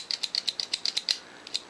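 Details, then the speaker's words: Minolta X-700 35mm SLR with a 50mm f/1.7 lens: the aperture lever is worked manually from the back, giving about nine crisp, quick snaps and two stray ones. The aperture blades close cleanly and fast, so aperture operation is normal. "if we take the lock off we can switch that nice click at each setting then if we look in the back here i can manually work the lever we can see how how quick the aperture blades are"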